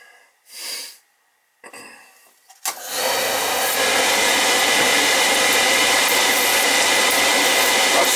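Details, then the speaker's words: Oil burner after oil flow confirmed and transformer rechecked; clunky start then steady roar with lumpy, uneven flutter, not enough spark, transformer judged bad and to be replaced: weak ignition transformer spark. "no good see how lumpy that is that's no good that's a problem right there transformers no good"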